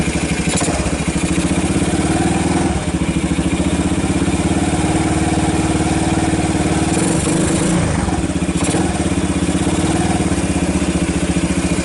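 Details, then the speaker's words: 1990 Kawasaki Bayou 220 junkyard ATV after cold start, carb replaced, recoil starter rebuilt, good compression, on choke: loud, even single-cylinder putt-putt at a steady beat, idling cleanly without stumbling; charging the battery, a little smoke. "now it's kind of a matter of actually sounds good oh it's even charging the battery"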